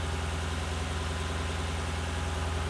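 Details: 2007 Lexus LS460L after replacing spark plugs and valve cover gaskets: low, smooth, even idle hum with a steady beat and no ticks, knocks or misfire; engine sounds healthy.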